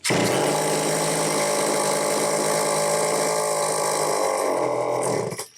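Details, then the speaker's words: Homelite XL-903 chainsaw, test run after repairs: holds one flat buzzing speed with no rise or fall, no throttle response, then dies; runs only on full choke, fuel starvation, fuel filter partially out of fuel. "It should be pulling fuel like crazy. That's running on full choke."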